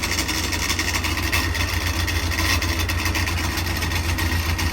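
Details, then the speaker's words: Freshly built Davies 1040 dry-liner engine (mild R17 cam, road-intended) on the dyno, first run: steady low throb just under 1,000 rpm over loud fan hiss, firing evenly with no tapping or stumble; the idle is sound. "So we'll fire it up. Good idle. Just under 1,000 RPM."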